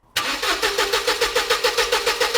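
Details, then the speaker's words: Mercedes SLK left standing for a decade, cranking steadily at about six beats a second but never firing: 12 V reaches the front of the car and the fuse, but the fuel pump gets no voltage, suggesting a wiring break. "Obviously we've got 12 volts at the front of the car. We've got 12 volts at the fuse, but we've got no voltage at the fuel pump."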